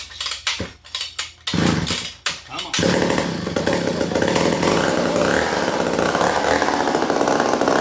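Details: Old 1950s McCulloch 35 chainsaw, points checked, spark confirmed, fueled: a few sharp pull-start rasps, then it catches and settles into an even, steady two-stroke buzz with no misses; runs fine.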